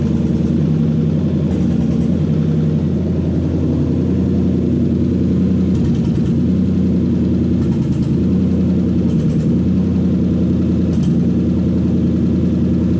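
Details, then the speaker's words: Toyota 1UZ non-VVTi V8 with Link ECU and coil-on-plug conversion, standard throttle body: steady, even idle with smooth low rumble, no misfire or knock, idle speed slightly high but adjustable; normal idle. "that sounds pretty good to me sea otter speed might be a bit high but that can be adjusted down quite easily now"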